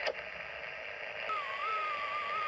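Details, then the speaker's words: Clansman PRC-320 radio receiving an RF generator signal at about 14 MHz; the test tone near a thousand hertz drifts up and down instead of holding steady, the typical audio wobble, traced to a faulty synthesizer. "Okay, that's a typical audio wobble, and yep, it's one of those things that many people get with a Clansman over time"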